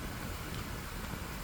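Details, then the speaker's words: 1999 Lasko model 2000 12-inch oscillating desk fan, curb find with an overpowered Panasonic motor seemingly meant for a 16-inch fan, on high speed: steady loud rushing whoosh, no ticking or rattle, running as fast as a Dayton shop fan. "This thing sounds like one of those Dayton shop fans with the elephant ear plates. That's how fast this thing is running."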